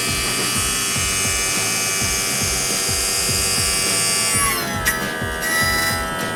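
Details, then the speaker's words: 1999 Champion 191 bass boat, Mercury 200hp EFI outboard, sat for years: power tilt and trim pump whining, pitch dropping as ram reaches its stop, while cycled up and down to work air out of the fluid after refilling; limit switch working. "i mean you know just keep cycling it up and down several times and you get the air out of it"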